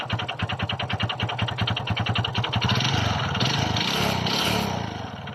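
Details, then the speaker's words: Kymco Visar 110 scooter engine started after reassembly with the clutch housing refitted: regular heavy knock, about three or four a second, over the exhaust beat; the noise persists, so play will be checked next with the head removed. "e bad news guys hindi nawala ang ingay o kalampag sa loob ng kanyang makina"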